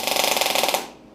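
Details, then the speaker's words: MIG test on a new Sip inverter multi-process welder after reducing wire speed (earlier sounded like too much wire or too little voltage): even, fast crackling buzz held under a second, working nicely; smooth MIG welding. "it is Waring it's working quite nicely"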